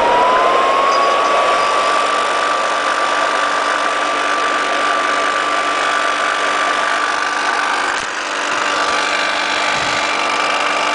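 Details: Vintage Lady Sunbeam hair dryer bought used, before cleaning: a steady high whir with a faint tone rising at switch-on, then holding even throughout; small motor and fan run smoothly.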